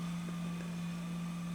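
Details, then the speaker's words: JVC HR-S5400U Super VHS with tray stuck open: head drum spins up with a steady low hum but no loading clicks follow; tape won't load due to a mechanical issue, tray not fully ejecting. "that's part of the problem it won't take the tape we have some kind of mechanical issue"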